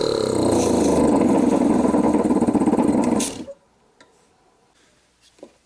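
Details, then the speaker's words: Cheap 12 V automotive air compressor for a 4x4, powered by an old gel-cell UPS battery: laboured chugging at about three strokes a second for three seconds, then it quits; the weak battery lacks the power the motor needs. "You can hear the battery clearly doesn't have the jam it needs."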